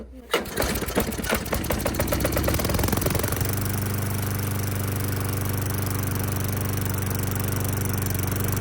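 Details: Lawn mower that wouldn't start after storage, after cleaning the carburetor bowl and main jet, started on starting fluid with the air filter off: the pull-start sputters and catches, then settles into a steady, even drone with no misses, healthy.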